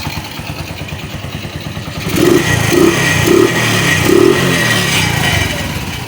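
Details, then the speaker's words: Secondhand Bajaj CT100 after a piston kit, timing chain, chain guide, stator and pulser replacement for lost compression and hard morning starts: it idles evenly, and clean throttle blips rise and fall smoothly with no knock or chain rattle. Now quiet; normal revving. "So goods na itong kanyang CT100 na badya. So tahimik na. Yan. Goods."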